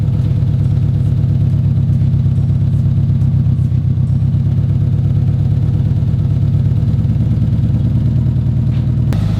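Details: Built 2005 Subaru WRX STI cold start after engine rebuild; deep, strong, steady exhaust rumble at fast cold idle with no ticking or knocking, as the intermittent tick (cause unknown, possibly cams) does not occur when cold.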